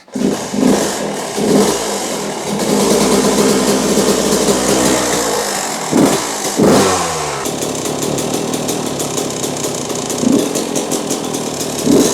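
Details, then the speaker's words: 2001 Yamaha YZ125 two-stroke, pilot jet dropped one size to 22.5 with air screw 2 turns out: crisp, steady idle with no loading up or stumbling. Normal idle, running clean; it was later dropped from 25 to 20 to finish. "So we're at 2 turns out now on the pilot jet, and that's idling really good."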